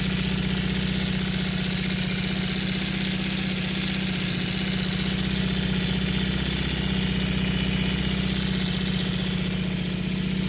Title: CB550 rattling sound. Anyone know what could be the issue?